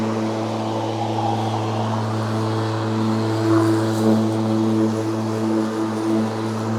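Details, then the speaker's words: Kress Commercial 60V battery lawn mower in tall, wet, overgrown grass: steady low motor hum with a wavering, labouring note as the deck starts clogging with wet clippings. "Can start to hear it clogging up again, so let's flip it over and clean it out. It is wet."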